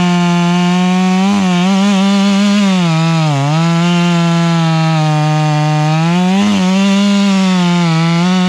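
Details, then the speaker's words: Stihl MS 461 chainsaw with Westcoast Saws kit (dogs, bark box, Maxflow air filter), limiters removed, carb tuned plenty rich: high steady howl that sags and recovers, burbling four-stroke unevenness when not cutting hard; could be leaned for zippier running. "I like it uh we can lean that in and make it a little bit zippier but uh she's running plenty Rich you can hear that four stroke if I'm not in it hard"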